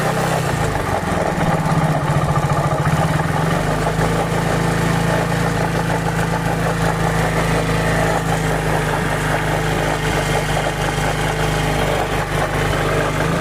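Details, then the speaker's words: Hero Glamour motorcycle single-cylinder idle with harsh, rattly clatter over steady beat; cause unclear; abnormal engine noise. "Glamour bike है, देख सकते हैं कितना बुरी तरीके से आवाज़ कर रही है।"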